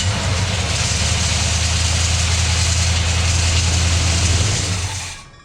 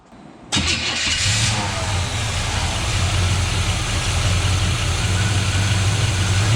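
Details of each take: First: 1981 Chevrolet C10 shortbed with a starter shimmed 100 thou: steady idle with a loose tinny rattle on top; washer on the starter suspected to be touching the flex plate. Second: 1981 Chevrolet C10 shortbed: brief crank, quick catch, then even, clean idle with no velcro noise; timing close, though zero oil pressure is reported, suspected debris in a fitting.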